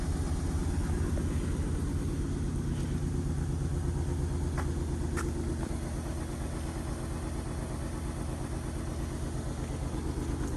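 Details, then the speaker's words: 2008 Honda Ridgeline V6 at 299,733 miles, fired quickly after sitting for years: low idle with a steady shake and a rhythmic stumble near three per second; burnt valve on cylinder 6 in the rear cylinder head. "Now, when I got this truck, like I said, it didn't run, and I got it running. As it turns out, the rear cylinder head on the cylinder 6 has a burnt valve."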